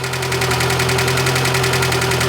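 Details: 2008 Chevrolet Niva started cold, idling: sharp even ticking knock about ten per second, also often while driving, comes and goes; owner guesses a valve, source unknown.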